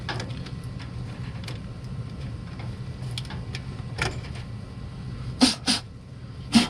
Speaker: Tap the control board, it's going to start making a loud clicking noise. I think it's a relay inside the board that's maybe getting stuck and trying to come on.